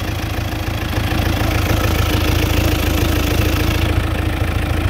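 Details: Chevrolet Captiva diesel idling after replacing the stuck water pump, snapped timing belt, roller and tensioner, with the air filter not yet fitted: a steady, even diesel clatter with a firm low thrum and no misses or knocks, a healthy normal idle.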